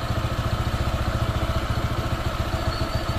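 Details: Honda PCX 160 scooter, new and not yet broken in, with idle thumps that sag and lump at roughly 3–4 a second, dying down as if about to stall; the owner suspects it needs break-in.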